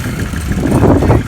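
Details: 1978 Kawasaki KZ1000A four-cylinder motorcycle, slightly lukewarm engine, about 50–55°F outside, running on reserve with 10W-40 petroleum oil: deep, steady idle with an even low rumble, no ticks, knocks or misses; normal idle.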